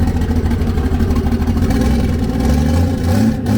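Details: Nissan S13 on E85, not started in a while: smooth idle about 700 to 800 rpm rising cleanly with a light throttle blip, no knocks or misses; fuel pressure, oil pressure and temps good; engine healthy.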